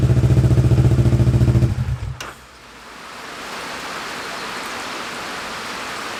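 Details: Kawasaki Ninja 650 after stator and rectifier-regulator replacement with new battery (Power Commander fitted): even, regular firing at a steady idle for under two seconds, then the note drops into hiss; runs smoothly, charging about 14 V.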